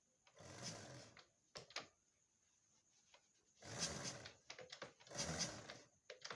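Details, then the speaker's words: Honda Supra X 125 kick-started three times: loose clattering rattle like a detached chain, no firing and very low compression, from a jumped timing chain. "oke di sini suaranya seperti suara rantai yang lepas ya nah hai oke disini temen-temen bisa melihat ya untuk kompresinya superlow dan saat jengkol timbul suara-suara aneh seperti suara rantai lepas"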